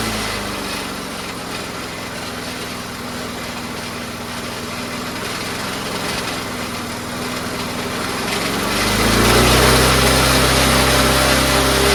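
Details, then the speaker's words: Troy-Bilt 22-inch self-propelled mower, 4HP Briggs Quantum engine, no governor connection, throttle plate on homemade linkage: idles evenly, then climbs sharply to high revs when pushed forward; uneven speed control with improvised linkage. "So I just tried to make my own whatever, and well, here it is right now. have it idling. If you push it forward, it'll go really fast. You just gotta find the sweet spot, you know?"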